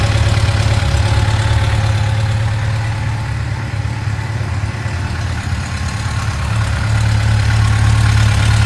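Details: 2006 Yamaha FJR1300 at warm idle: steady low thrum with a faint, quick regular ticking on top that appears after warm-up; cause not yet pinned down.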